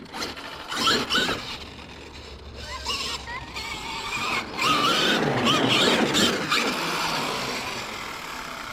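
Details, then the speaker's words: Traxxas X-Maxx RC truck after testing 18/54 and 20/50 pinion/spur gearing and a backflip. Rough, gritty grinding surges in bursts over the motor; the spur gear is stripping again, with ridges visible on the gear. "that doesn't sound good yes guys we've done it again um i don't know how well you can see that there's some light ridges on the side"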